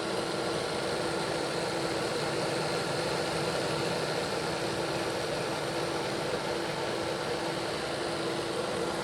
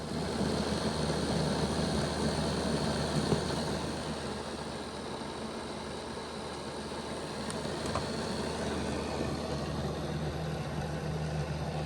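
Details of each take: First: Bachmann Dash 9 model locomotive on stationary rollers after reseating motors on contact strips, speed steps 4 to 8: smooth, even motor hum with steady whir, no catching, ticking or grinding; rear and front blocks run healthy. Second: Bachmann Dash 9 model locomotive on stationary rollers, running reversed, rear motor block before repair: steady coarse growl, more growling than the front block; rear block had been stopping, later fixed by reseating motors against the contact strips.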